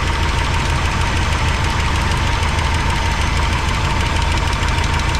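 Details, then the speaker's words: 1985 GMC C25 V8 idling with a valve cover off for valve adjustment: steady fast ticking over a rough idle, clicking heard on one side, sounding like loose valve lash; all rockers getting oil; cause suspected, not confirmed. "They all got oil. I hear the clicking over here."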